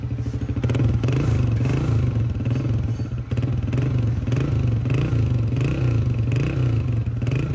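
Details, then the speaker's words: Honda CG 125, 2011 model, after top overhaul for noise and smoke, oil pump checked and silencer washed: steady even low thump, no tappet clatter or knock; normal idle. "इतने काम में engine की इतनी ही आवाज़ clear हो सकती है और वो अल्हम्दुलिल्लाह हमने की है।"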